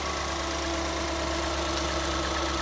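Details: 2014 Ford Escape 1.6L after head gasket replacement: smooth, even idle with a steady hum, no knocks, ticks or stumbles; runs healthy, repair called a success.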